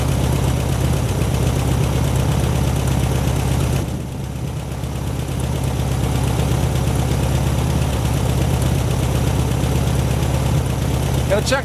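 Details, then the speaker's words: 1972 VW Super Beetle, first run, still smoking, owner thinks it is running on fuel in the carburetor bowl with the gauge reading empty: steady, even, low chugging idle with no skips or knocks; normal idle. "she's still smoking that's running on the what's in the carburetor i believe god just sounds good man"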